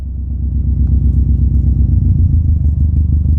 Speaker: we've added so much fuel that the engine can no longer run and it is stalled out we were so rich that it just couldn't keep going